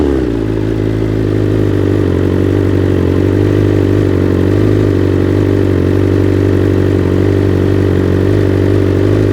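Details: 2021 BMW S 1000 RR on first start with Akrapovic titanium headers and SC Project carbon canister, no tune: deep steady exhaust burble at even idle, no misses or stumbles; normal idle, sounds good.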